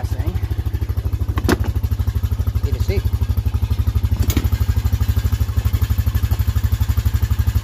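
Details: Honda Foreman ATV that wouldn't start or stay running, after carb cleaning and rebuild (battery possibly weak): quick regular single-cylinder putter about three beats a second, steady idle without stumbling; normal idle.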